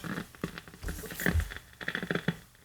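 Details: 1951 Northern Electric Baby Champ tube radio, tubes lit on a current-limited variac supply: irregular sharp pops and crackles with no station or tone, even at full volume.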